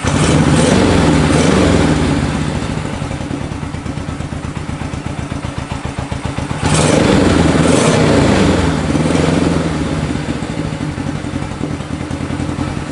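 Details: 1965 Honda CB77 Super Hawk 305 twin, sat 20 years, running after carb cleaning and fresh fuel, no air filters, so possibly a little lean. Even putter with a couple of throttle blips that pick up cleanly; runs steadily.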